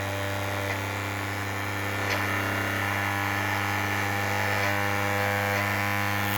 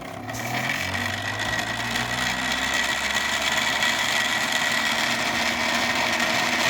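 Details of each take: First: 3D-printed maglev rotor after adding dry lube to the shaft end and pulling the coil back, spinning around 6000–7000 RPM: steady even hum at constant pitch, no rubbing or scraping; normal running. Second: Homemade 3D-printed maglev rotor running dry before its dry-lube fix, spinning up with a rising hum then a thin steady high whine and faint rattle; dry lube later made it hum, and pulling the coil back raised its speed to 7000 RPM.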